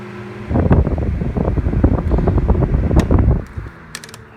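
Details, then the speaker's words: Thrift-store GE 12-inch table fan on a test rig, at high speed with 15 microfarads capacitance, drawing about 0.95 A: loud steady whir with fast blade flutter, no scraping or grinding; normal, running freely. "So actually now it's up to speed and it's right at high with 15 microfarads."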